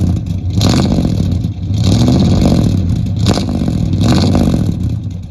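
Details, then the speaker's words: 1972 Chevy C10, 350 V8 with dual exhaust, first run in years after adding fuel, cold before warm-up: three or four clean blips, deep throaty rumble rising and falling evenly, no knocks or misses; healthy, slight smoke suggesting possibly sticky rings. "Here, I'm going to get a rev shot. Will you give it some revs? Hear those duals? Yeah."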